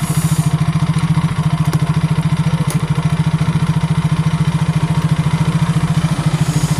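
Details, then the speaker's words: Yamaha Mio J scooter after repair of lost compression from damaged valves, started with the ignition switch jumpered: steady, even single-cylinder idle with regular low thumps and no knocks or misses, holding idle cleanly. "Oke guys, ini motornya telah hidup. Berarti di sini kita telah memulihkan penyakitnya guys."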